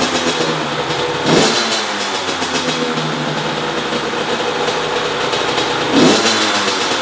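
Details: 2005 Honda CR85R Expert, 85cc two-stroke, stored for months without starting, after fitting a new NGK BR10EG spark plug: crisp, steady buzz with two clean throttle blips that rise and fall evenly; normal running, the old plug was the fault.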